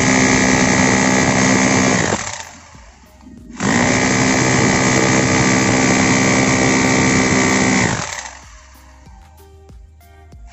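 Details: Bosch GBH 2-26 DRE SDS hammer drill after repair for lacking power/not drilling: strong, even rapid hammering in two bursts with steady motor tone; impact healthy and solid.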